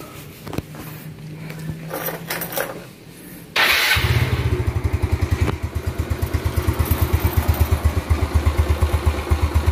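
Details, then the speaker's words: 2009 Yamaha Mio Smile scooter after restoration, carburetor and CVT cleaned: starts on the button and settles into a light, even, healthy idle. "Well, the sound is light, friends, yes, this is the sound, ah, light"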